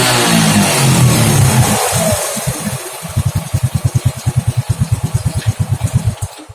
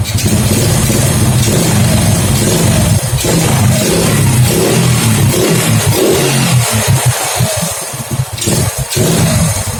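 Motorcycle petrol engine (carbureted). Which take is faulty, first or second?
second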